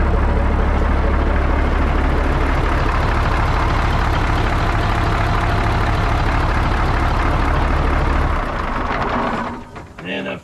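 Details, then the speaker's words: 1980 Peterbilt 359 EXHD with Caterpillar 3408 diesel, left sitting for years, lights right off; deep steady idle clatter with an even beat for about eight seconds before dropping away, running normally. "Wow. Holy shit, fellas. It just lights right off."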